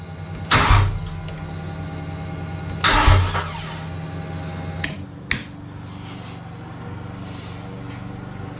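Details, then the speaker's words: Cobra Daytona replica ("Aluminator") first-ever startup after build, clutch in, fuel pressure a little over 60, oil pressure up: long slow starter churning with a couple of loud bursts and no catch while fuel comes up, before it finally fires. "oh she didn't want to start i got oil pressure which is good oh here it goes we're about ready to fire it off"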